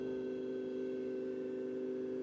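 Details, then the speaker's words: Fiat Ducato 2.3 after ignition switched on: steady, even electric hum from the fuel pump with a clear high tone, no surging or rattle. It runs and then stops, a normal prime. "agora quando a gente ligar a chave a bomba de combustível ela tem que ficar pelo menos uns 15 segundos ligada né"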